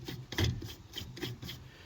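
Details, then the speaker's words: Craftsman riding mower with a loud hydrostatic transmission and a broken transmission fan: a slow rasping grind in short bursts each time the pulley is turned by hand. The pulley bearing is rough and worn. "that's kind of what it sounds like is we turn like this one"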